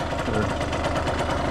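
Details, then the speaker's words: 1989 Yamaha YSR50 50cc two-stroke, 198 original miles, cosmetically restored, quick start-up: crisp, even popping at a steady fast idle, no misses or rattles; motor sounds like brand new, healthy. "See if we can do a quick start up here. The motor sounds like brand new."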